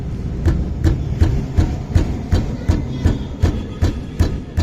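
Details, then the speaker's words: Maruti Wagon R K-series car rolling with steady low clunks, about three a second: noise from the brake caliper pins, which were cleaned; the car also has an engine misfire. "यह जो आवाज आ रहा है caliper pin का आवाज है"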